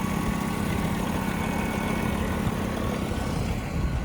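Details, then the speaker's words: Freightliner FLD truck with Detroit diesel, idling: low, even diesel rumble with no knocks or rattles; quiet, healthy normal idle. "I love a good, quiet Detroit. That is awesome. Kicked right down. All right, so there you go. She sounds good."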